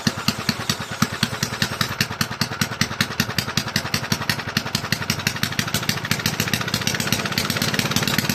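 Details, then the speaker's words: Toro mower model 18805 engine, reassembled with cleaned, repaired carburetor and new parts after sitting for years, running two-cycle fuel, slightly overfilled oil: crisp, regular firing, speed slightly hunting but clean without knocks; it runs. "So, um it has sat for a long time. Um but anyway, yeah, it it runs."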